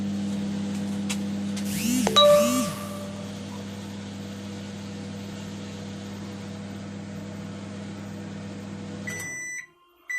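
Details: LG microwave repaired after sparking: an even low hum and fan drone with no crackle or snapping, then stopping with beeps; the microwave is working normally.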